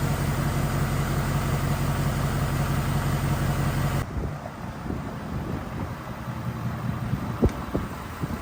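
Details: Ford F250 rebuilt after insurance total, oil filter regulator replaced, after successful test drive: steady, even low rumble for about four seconds with no knocks or misses, then fades off; normal running.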